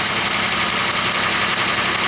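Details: Idle of a Pontiac Aztek, which starts quickly even on cold mornings and is charging at almost 14.7 V while its battery is tested; steady, even idle with a smooth mechanical hum, no knocks or misses, sounds healthy.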